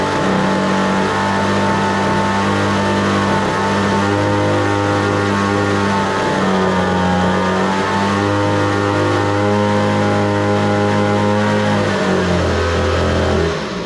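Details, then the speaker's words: Homelite two-stroke leaf blower held at full throttle after the too-lean high-speed carb screw was opened slightly; an even, clean high buzz with no surging or breaking up, starting easily and running properly. "I had to open it up just a little bit, but yeah, now it sounds good, and it starts easy, runs good."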